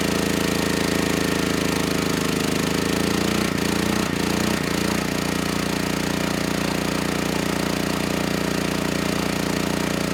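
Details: Generac GP6500E generator, formerly seized engine now running, warmed up, tested outdoors under load up to 6,000 W near max: even drone dips briefly as load comes on, then holds smooth, no knocks or hunting; 121 V held, 61 Hz to just below 59 Hz, distortion 6% to 16%.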